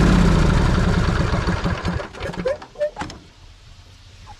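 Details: John Deere riding mower, 26 hp Briggs & Stratton V-twin, started after oil change to fill the new oil filter during 50-hour service, earlier had a no-start issue: even, steady beat for a couple of seconds, switched off, coasts down cleanly.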